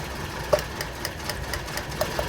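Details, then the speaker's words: Old Toyota Corolla petrol engine idling very rough and shaky; pulling a spark plug (sparking, wet with fuel) doesn't change rpm; compression tired, book minimum about 125: uneven stumbling idle with ticks about four a second, a dead cylinder misfire. "this is how it's been running this entire time very rough super shaky and when we remove the spark plug nothing happens they're spark but as you can see the rpms don't change"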